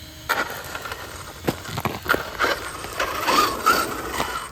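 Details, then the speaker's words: FTX Zorro brushless RC car, reaching 27 mph. After the run the ESC was 46°C, the fan-cooled motor 33°C and the cog 34–36°C. Sharp, uneven clicks about 2–3 per second over a faint motor whir, only at low RPM. Owner suspects a metal gear running on a plastic gear; not yet inspected. "Yeah, got this funny gear noise, people. I don't know what it is. It's only there, that clicking. That. It's only at low RPM though. It's really odd."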